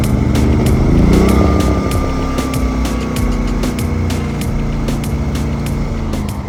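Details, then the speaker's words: Small generator feeding a newly installed external house outlet, powering a light: steady low even hum with no misses or surging, light regular ticking on top; super quiet, barely audible from inside, running normally. "Super quiet, and I now have a light."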